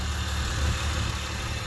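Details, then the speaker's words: 1995–2001 Nissan Maxima VQ30DE V6 after installing Audi R8 ignition coils, with OBX headers and 2.5-inch exhaust: steady smooth calm idle with even exhaust pulse, no misfiring or sputtering. "Start it up. Nice calm idle. No misfiring, no sputtering."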